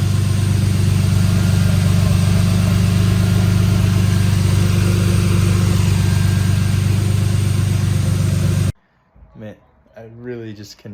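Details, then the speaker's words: BMW E36, warm, after work on a suspected injector causing a closed-loop misfire: steady low drone with a faint, uneven pulse; idle still hunts slightly, owner suspects the ECU needs a reset. "tell if it seems better but it's still a little weird like I feel like the idol still hunts a little bit"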